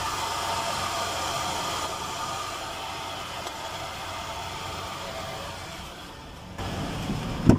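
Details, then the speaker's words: Truck AC compressor running with the engine on after a fix for a strange compressor squeal: steady, even engine hum with no squeal or chirp; the noise has practically disappeared, compressor sounds normal. "ahora sí miren vean hasta que los ruidos prácticamente desaparece ha conseguido muy mínimo"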